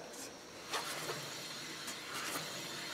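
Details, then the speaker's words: 2007 Chevy Trailblazer, passenger-side front wheel spun by hand: soft even hiss with slight normal CV axle noise, no grinding or rumble; bearing sounds okay, unlike the rumbling driver side. "it sounds pretty good the cv axles always make a you always hear them a little bit when you spin these over but yeah that seems okay"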